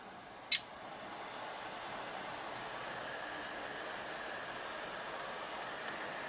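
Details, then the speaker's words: KORAD KA3005P power supply with replacement fan, output on at about 1.5 A, 12 V: steady soft airy hiss with no hum or rattle, about as loud as the old fan; owner suspects poor airflow design, heatsink close against the fan. "so it's a little bit noisier but it's still uh well I don't know I'd say this is quieter maybe I should have been a little more scientific with the sound meter"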